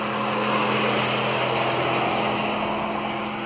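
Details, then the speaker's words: 2000s-era Mitsubishi after cooling fan controller replacement (old one kept fans running whenever ignition was on): engine idling with AC on, both radiator fans pull hard with a steady rush and low hum; normal cooling fan operation, fixed. "start her up go ac on there we go you can hear those fans turning big time awesome"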